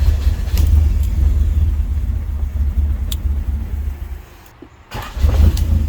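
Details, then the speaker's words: 1988 Honda Civic wagon with a crank-no-start problem, original starter refitted: a deep, steady rumble with one brief dip, then the engine keeps running. Normal start and idle. "she stays started now kinda what do you know look at that"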